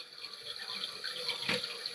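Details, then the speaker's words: Toilet tank running continuously, float all the way up, before Fluidmaster Performax fill valve replacement: constant hiss of water flowing in without shutoff; worn fill valve seals suspected. "sometimes you have uh where these uh the seals and the inside here just wear out"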